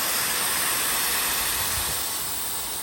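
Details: Vehicle AC system pressurised with nitrogen after a big vacuum leak, new compressor fitted; steady high-pitched hiss slowly easing off; nitrogen leaking at an untightened, possibly cross-threaded, rusty flare fitting.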